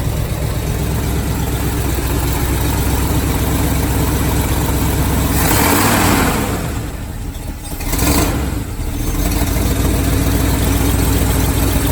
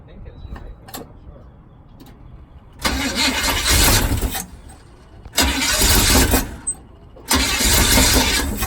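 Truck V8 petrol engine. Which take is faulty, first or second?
second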